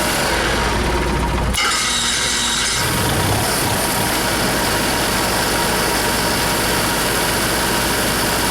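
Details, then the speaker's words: Motorhome running again after the bad chassis-battery ground was fixed: starter cranks briefly, then it catches and settles into a steady, even run with a constant hum underneath. Sounds healthy, normal running. "Okay, anyways, I think we're back in business."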